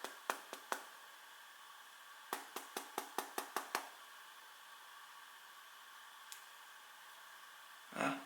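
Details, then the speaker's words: Factory-new, never-dropped Huawei P8 Lite phone: each tap on the case sets off a short, light clicking rattle inside; owner suspects a loose camera lens or unmounted internal antenna, unconfirmed; a second unit had the same fault. "hier gibt es folgende sache das gerät rappelt ich zeig mal wenn man dagegen klopft"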